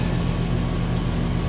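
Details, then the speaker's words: Condenser of a 2-stage central AC at a rental property, fault was only wiring, running in stage 2 (high stage) at about 18 amps, about 3 amps (20%) above stage 1; steady even low hum, smooth fan rush, no knocks or rattles; normal. "a difference, about a 3 amp difference. It's about 20%. So appears to be working. That's all it was wiring."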